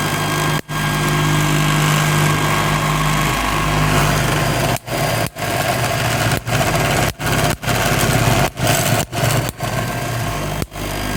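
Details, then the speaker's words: MiniSpark 18 high-voltage generator with 1.233 nF capacitor bank and 1 cm spark gap: steady whirring run with rough scraping rub and brief dropouts, because the non-rigid setup shakes and internal parts rub. "that uh that noise there is because this setup here isn't very rigid so it shakes and then internals rub"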